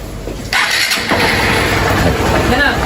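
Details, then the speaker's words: Single-cylinder motorcycle brought in for misfiring and loud engine noise, after repair: fires instantly on the first try, then settles into a steady, even run; sounds healthy. "Olha o barulhinho do motor, hein. Tá aí, ó. É assim que você queria? Com certeza. Ficou um luxo, hein?"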